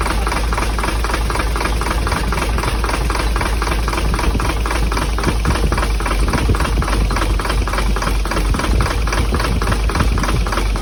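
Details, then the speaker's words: Hino J08C diesel truck engine, believed overheated, started roadside after oil was poured into the intake: heavy regular knocking through the idle over a rough blowing note, heavy blow-by and back compression; piston damage suspected, not confirmed. "Engine को हमने बंद कर दिया है क्योंकि बहुत ज़्यादा engine blow मार रहा था, बहुत ज़्यादा बैक कंप्रेशन था और इंजन की आवाज़ भी चेंज हो गई थी।"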